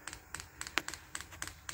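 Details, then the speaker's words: Diesel air heater on 12 V battery power with a temporary tank setup and empty fuel lines: crisp, regular ticks about four a second over a faint fan hum as the dosing pump primes diesel normally. "So I'll just give it a minute, because it takes a couple of minutes to warm up and start pumping. Well, you can hear that now, the pump is clicking through,"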